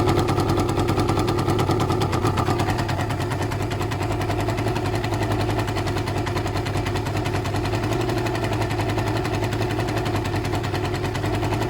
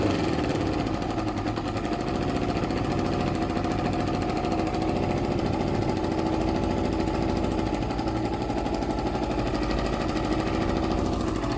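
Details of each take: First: Suzuki ZL600 Eliminator at idle without choke, after carb work: a sharp, rapid puffing tick rides over the exhaust note at every firing, and an air leak is spotted at the exhaust pipes. Exhaust leak. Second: Suzuki ZL600 Eliminator twin after carb work, tank refitted, running without choke: steady even idle, no hunting or stumble, revs respond without hesitation; normal idle, carbs still need some work.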